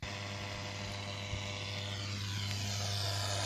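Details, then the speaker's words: Cheap Chinese BT-309A power amplifier in radio mode, no line inputs connected, reception noted as quite distorted: steady low hum with hiss over the radio sound, unchanged throughout; owner suspects the internal transformer causes the noise. "that noise there you can hear quite a bit of that on the radio which i suppose maybe because of the transformer in there"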